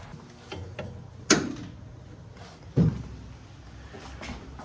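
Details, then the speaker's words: Car pushed in garage after rear wheel nuts tightened with wheel wrench (previously only hand tight); low even rumble, soft thumps, creak gone; owner guesses spacers had moved against birdcage. "I'm guessing maybe the the spaces were able to maybe move around and Creak a little bit pressed up against the bird cage something like that but all I did was tighten the out of the wheel nuts"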